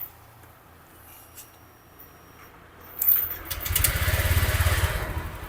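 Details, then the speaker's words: Honda Vario 125 scooter after valve clearance adjustment and throttle stop reset to factory: catches and settles into smooth even idle with light quick injector ticking over the hum; valve clatter gone, healthy. "oke suaranya enak ya Akak Yang ketekketetek kalau yang kicik-kicik ini Waja tuh suara injektor injektor waktu dia nyemprotkan bahan bakar jadi dia katup di dalam injektor bekerja kan"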